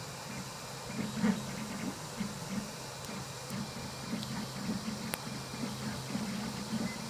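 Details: ABS 3D print with extruder at 230 °C (PID-tuned, temperature still varying), bed 95 °C, raft and ABS juice: a few sharp, irregular pops, about four in seven seconds, over the steady printer hum; extruder popping, cause unknown.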